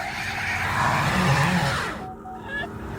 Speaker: So, it'll climb its way up there until it gets to a point where it can't move because it loses traction and then it just goes full freaking throttle on the rear axle. And it's hilarious. Look at this. That is like 100 mph wheel spin